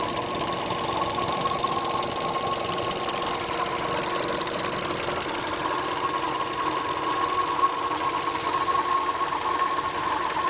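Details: Opel Astra J 1.4 A14XER: thin steady high whistle over soft engine hum from the left engine side, said to be rpm-dependent and deeper with A/C compressor on; owner suspects a belt rubbing or fuel filter flow noise.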